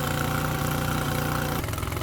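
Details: Mercury 9.9 outboard bought used, which had not run, back after 8-9 weeks of repair with parts from abroad; test run: even, steady low beat with no misses, knocks or hunting; normal healthy idle.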